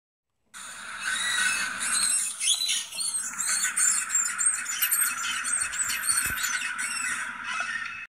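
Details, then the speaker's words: Chevy Silverado/GMC Sierra driveshaft: irregular high squeal mixed with creaks like creaky floorboards and a squealing belt, only under power, quiet when coasting; dry, worn universal joints, fixed by replacing them. "It was making a creaking, squealing sound, almost like, like creaky floorboards mixed with a squealing belt, like it was terrible."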